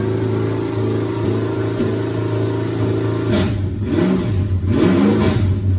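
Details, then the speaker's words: Nova race car engine, first run in 38 years after fixing a cracked fuel pump leak: settles into a steady idle, then clean throttle blips rising and falling smoothly with no misses or knocks; runs well. "yeah sounds good tickle to death"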